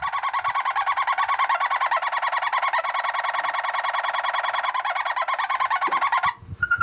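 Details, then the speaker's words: Weldon valve radio with dead radio circuits but a working amp: a warbling tone near 1 kHz pulsing about three times a second; the set is oscillating rather than receiving, and band switch and antenna change nothing. "changes nothing, so the radio part doesn't work. The amp's fine. This oscillation is weird though."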